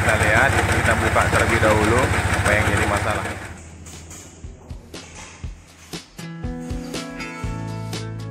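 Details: 2019 Yamaha Vixion R during major service for engine noise: loud, rapid, harsh diesel-like knocking clatter; cause found as a failed camshaft bearing, with small particles found on teardown.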